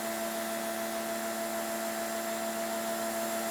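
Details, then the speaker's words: Greenworks electric pressure washer test with a 3.0 nozzle, 1000 psi drawing 10.4 amps: steady even motor hum, constant tone, no knocking or surging; sounds much better and quieter. "okay stop reset three two one go just sounds so much better it's quieter"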